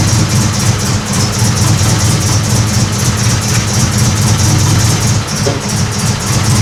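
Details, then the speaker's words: Honda Civic EK hatch project; spark is present but questionable: a steady, loud, held-open roar with no throttle changes, since it keeps running only at wide-open throttle. "this thing will only run if it's a wide-open throttle it seems to have fire feels questionable"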